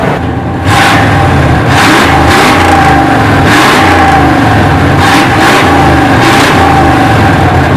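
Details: 1968 Chevy C10 V8 just revived after sitting 15–16 years on old fuel: crisp rev bursts climb and fall back cleanly to a steady idle, no misses or knocks; good oil pressure, sounds healthy, maybe needs a touch of tuning.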